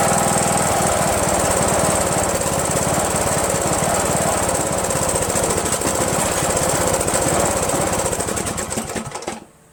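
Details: Rebuilt Briggs & Stratton 17.5HP engine in Yard Machines lawn tractor, after bypassing kill-switch wires on magneto lead, no belt pulley: lumpy, irregular firing with occasional pops before dying; owner suspects not enough fuel, carburetor solenoid possibly blocking passage.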